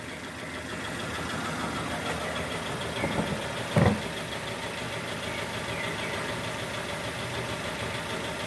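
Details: 2002 Nissan Almera N16 with a QG18 cable-throttle engine, bucking after a spark plug change; two cylinders are not contributing because two coil connectors were swapped. A rough, lumpy idle with an uneven low thud: misfire from two dead cylinders.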